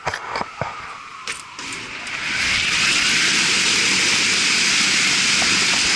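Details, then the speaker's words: Marley cooling tower fan and gearbox test run after repairs and oil refill: a few clunks at startup, then a smooth, even rushing roar that settles and holds steady; sounds a lot better than before, running normally. "all right guys this is the final yeah C it sound good to me a lot better than before right"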